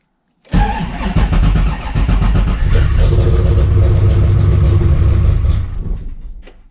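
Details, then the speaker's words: 427ci 7.0L LSx V8 in an RX-7, first start after five months of winter storage, fuel pump primed, no throttle: runs rough and uneven about five seconds, then stalls. "prediction number one start stall it's typical try again"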